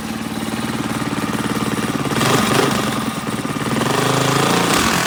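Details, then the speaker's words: Predator 212 single-cylinder engine just rebuilt with valves set and a Mikuni carburetor fitted: thumps at an even idle and picks up cleanly on two quick revs. Earlier smoke was only assembly oil burning off; it runs healthy. "So that's all that oil was, just burning off that. But it runs good."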